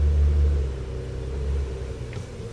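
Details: Nissan Quest exhaust (rattle fix, NTB05-021E): low, even exhaust rumble easing off as the engine settles, no metallic buzz or rattle from the pipe; normal exhaust.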